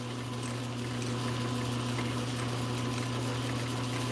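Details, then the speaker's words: Atlas Craftsman 10" lathe at slowest speed in low range with lead screw engaged, driving all gears: steady, even low hum with soft gear whir, no knocks or clatter, no difference from the disengaged baseline; healthy gear train. "now i'm going to put the lead screw in here which is going to engage all the gears and you can see them moving in there now [Music] and you can't hear any difference in the sound"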